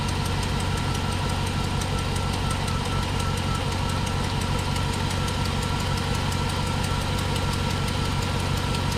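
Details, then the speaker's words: 1999–06 GMT800 Chevrolet/GMC truck V8 at idle: steady light tick, about two per second. Exhaust leak with a broken front bolt. "wonderful exhaust leak you can see I got a broken bolt there in the front I'll be addressing that eventually"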